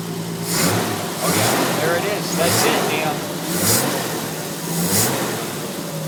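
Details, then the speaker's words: Triumph GT6 restart after one of its two carburetors, which wasn't working, had the float bowl and jet cleaned and the needle adjusted: a steady, even idle with a smooth low beat, no misses or hunting; running cleanly. "yeah that's what it's supposed to sound like oh yeah that's my car"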